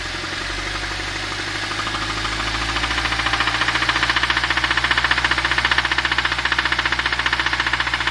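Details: Audi TT Mk2 2.0T BWA engine, manual gearbox, idling then revved: sharp, evenly spaced knock about four per second over the idle, louder as the engine picks up; source of knock not identified.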